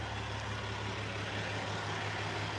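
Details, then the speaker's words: Big diesel truck with 7-inch exhaust pipes, described as suited to the "5 EK" engine. Deep, steady low rumble with an even rhythm and no knocks or misses; idling cleanly and sounding good. "Yeah, David, it does sound really good. Those uh those are 7in pipes and uh I think they're perfect for the 5 EK. The sound is good."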